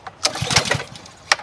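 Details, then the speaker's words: Honda GCV190 pressure washer, previously non-running and sitting in a garage, pull-started: two quick bursts that chuff briefly and die without firing. The spark plug is doubted and no fuel suspected; plug found dry, fuel starvation. "I don't think it's the spark plug I don't think it's getting fuel."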